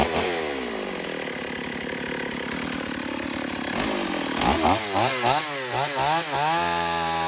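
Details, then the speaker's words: Stihl AV 028 Woodboss chainsaw, previously running lean and bogging, after new fuel line and filter, cutting wood without its air filter: steady high rev through cuts and clean throttle blips, now running right. "All right, well, that's good news. We've got the saw running right."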